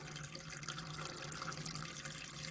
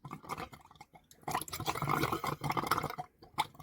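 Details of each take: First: Caravan water system after winter storage: cold tap running with pump on, smooth even water flow with no spitting or air bursts once last year's water and air are purged; normal steady tap flow. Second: Caravan (about 30 years old) after winter storage, water tank filling: irregular gurgles and spluttering bursts of water and air as trapped air is pushed out through the pipes; air in water pipes.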